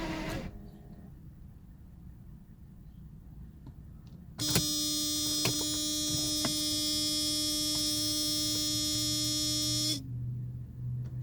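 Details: 1992 Mercedes 600SEL: the starter spins for about five seconds with a steady electric whine but the engine never fires. Crank, no start; a lack of ignition is suspected, not confirmed.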